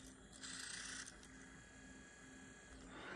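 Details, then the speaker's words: Pawn-shop PSP reading a UMD game disc: short bursts of high whirring with light clicking as the disc spins and the laser seeks. Normal reading; the console works. "yeah it's psp trying to read a game"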